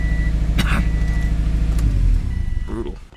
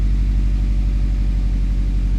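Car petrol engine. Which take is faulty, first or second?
first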